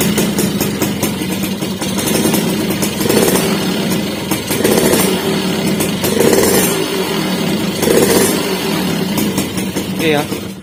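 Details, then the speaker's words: Motorcycle whose throttle slide was sticking and not dropping: engine blips up cleanly in four even bursts and drops straight back to steady idle, with a small tick showing the slide returning fully; normal revving. "tampak terdengar suara di sini ada bunyi tek bunyi kecil itu menandakan skep kembali dengan sempurna ya"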